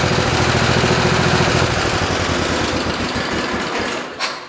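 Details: 1973 112 garden tractor single-cylinder engine, after new points, coil, condenser and carburetor, throttled up: rapid uneven pulse with beats dropping out, a running miss; sparks seen from something loose underneath.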